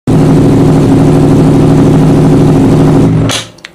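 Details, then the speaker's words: Honda CBR1000RR Fireblade that developed a misfire, with scan code for an ignition coil primary circuit malfunction: loud run with an uneven stumbling beat before it cuts; misfire from a faulty ignition coil. "She's broke. Develops misfire, so let's plug her into the diagnostics and see what's going on."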